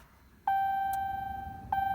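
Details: 2016 Ram 2500 6.7 Cummins, after oil change with about 10.5 quarts: two clean single-tone chimes about a second apart at start-up while oil pressure reads zero, the low oil pressure warning before pressure builds.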